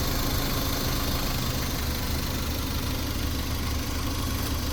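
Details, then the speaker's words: Mazda Bongo Japanese mini truck, 4-cylinder engine heard through the open seat access, idling steady with a light blip: smooth drone, intermittent ticking/clacking heard ten minutes earlier is absent now; cause unknown. "give it a little gas and see. Yeah, not bad at all right now, but 10 minutes ago or something, it was clacking pretty heavy."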